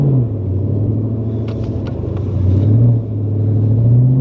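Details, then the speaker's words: Ford Mustang on a test drive right after a half shaft install, pulling away with a low smooth rumble and no clunks, clicks or whine from the axle; driveline sounds healthy. "sounds perfect yeah another perfect install like james said you would hear the half chest anything with a suspension you usually hear like right away"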